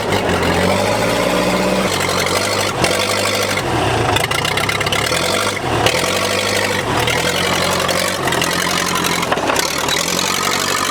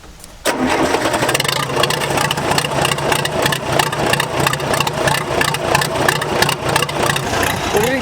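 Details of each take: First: Case dozer started with a gasoline rag over the intake: loud, unmuffled diesel rumble with revs rising and falling, firing steady and even with no knocks; the engine sounds healthy. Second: Case dozer diesel cranks with an uneven, labouring rhythm, around three turns a second, before it struggles to run. Hard start; owner says low compression.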